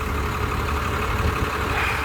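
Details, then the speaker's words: 1991 Blue Bird bus, 5.9 2-valve diesel, after replacing original fuel lines (1/2-inch supply, 3/8 return) and bleeding air from lift pump and injectors: steady low diesel rumble at idle, no stumbling or surging; running smoothly. "So, hey, it's running. That's really good. Started this morning probably around 10 a.m."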